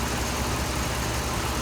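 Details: 2007 Dodge Ram 5.7 HEMI V8 idling after a water pump replacement; 140°F at the thermostat, about 100°F on the heater hose, not yet fully warm, no leaks. Steady, even low idle with no knocks or misses. Normal idle.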